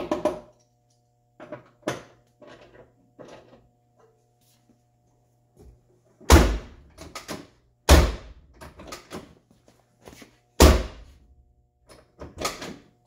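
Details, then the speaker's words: 1979 Lincoln collector series door with new striker bolt: three hard, heavy slams; the latch catches only with force because the new bushing is still tight, expected to wear in. "open gotta slam it a little more than I like but like I said they do pop or they do wear in"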